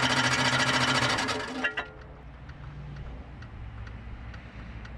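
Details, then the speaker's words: Barn-find 1998 Jeep Cherokee XJ: rapid heavy metallic clatter, three or four hits a second, until shutdown, with oil pressure present. "there's definitely a lot of metal noise going on in there"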